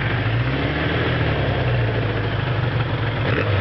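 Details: 1981 Suzuki GS550 four-cylinder, first start after five years stored, rebuilt carbs and top end (10.5:1 Wiseco pistons, bored .010 over, fresh gaskets): smooth even idle with light throttle blips, no knocks or misses; normal running.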